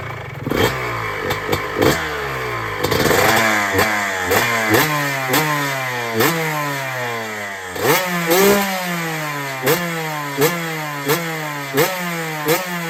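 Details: 2006 Honda CR125R two-stroke after a full ground-up rebuild with a new OEM top end: repeated crisp blips climbing fast and dropping back to a clean idle, revving freely; normal idle and revving.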